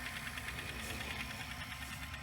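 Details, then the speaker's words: Sanyo VHR-H519 VCR rewinding an EP tape to the end: a quick, steady rattle of light ticks under the whirring transport, source unknown, but the tape isn't being chewed. "coming from the tape what's making that rattly sound I have no idea what that was but it's not chewing the tape at all which is very good"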